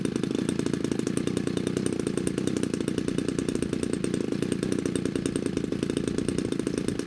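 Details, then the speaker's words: DLE 35 gasoline RC airplane two-stroke in a Hangar 9 Valiant 30cc, hard to start until the choke pushrod Z-bend was trimmed for full choke closure; after the fix it popped right away, fast even buzzing run with no misses; normal running. "oh it sounds like it popped right away ignition on"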